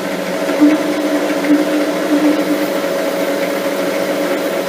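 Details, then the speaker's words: Lathe turning a slender lapping-arbor shaft on light cuts, speed slowed slightly: a buzzing tone of a few hundred hertz comes and goes as the work starts to chatter; fixed with a steady rest. "We'll just slow the lathe down a tad. Starting to get, you can just hear it start to chatter a little bit."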